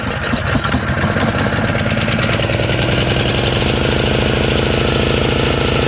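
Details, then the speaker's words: Honda EZ1800 generator, cold start with the choke on after a small shot of carb cleaner: the single runs rough and uneven with irregular chuffing and stays running only on choke. Fuel supply problem, with spark and compression confirmed. "So we can see that the engine only runs on choke. So this is a fuel supply issue."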